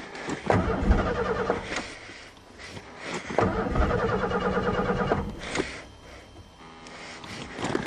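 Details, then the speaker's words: 1990 Thunderbird cold start after sitting all winter (February), several dead batteries; starter cranks in two long bursts, never catches; owner doesn't hear the fuel pump, which worked in November; crank no start, cause unconfirmed. "I don't hear the fuel pump now the fuel pump work fine in November"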